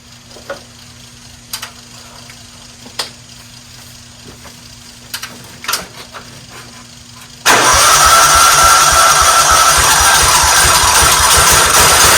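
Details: 1994 Cub Cadet HDS2135 riding mower bought at auction, given fresh fuel and oil: a few clicks, then it starts easily and settles into a steady, even run with no knocks or misses. Running normally.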